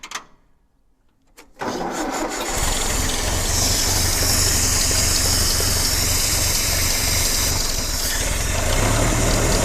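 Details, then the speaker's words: Vintage tractor started on petrol and switched to TVO: a brief crank, then it fires and settles into a quiet, steady, even beat of about four per second. Normal start and idle. "and there she's running on tvo see how quiet she is"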